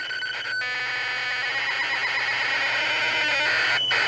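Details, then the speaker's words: ZX Spectrum 128K +2 loading the program Equinox from cassette, with the tape player running fast: steady high-pitched warbling data tones with brief breaks; normal tape loading, and the program loads successfully. "Now I'm gonna leave this to load up, and I'll save you the burden of listening to this."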